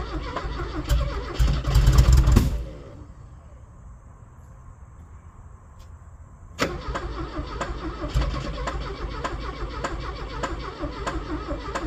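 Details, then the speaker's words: Abandoned Porsche 924 that had sat about 10 years and knocks when cranked: steady starter cranking, a brief cough, a quiet gap, then more even cranking that never catches; it won't run. Cause not confirmed. "okay so it knocks a little bit now the horn died huh well that's slightly disappointing but I guess we knew it had a chance of knocking so there it is knocking but will it run"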